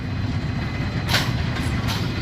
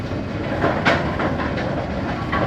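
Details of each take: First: Brunswick A2 pinsetter with a recently replaced cycle solenoid; the complaint was no cycling on first ball. Ball detect beam tripped again: low steady rumble with short hissing bursts as the cycle starts. A normal cycle. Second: Brunswick A2 pinsetter after cycle solenoid replacement, cycling after the ball detect beam is tripped. The mechanism clatters with sharp squeaks about once a second over the rumble; squeaks noted but left unaddressed.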